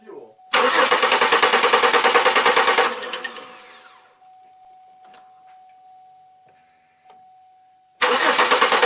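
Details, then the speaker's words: Chevrolet Malibu just after its crank sensor was cleaned: quick even cranking twice that never catches, with a faint steady whine in the pause. Owner suspects the crank sensor. Cranks but won't start. "she's not starting again I clean that out could be a crate could be a crank because if you pull that pull that sensor or pull the plug on that sensor the motor will shut it right down"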